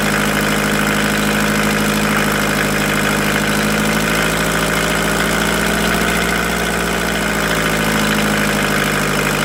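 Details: VW T4 1.9 diesel at idle: a rapid, hard metallic rattle runs steadily under the clatter. It appeared after an oil change and is noted at 2000 rpm; lifters were suspected. Teardown found a knocking piston pin; the engine needs an overhaul.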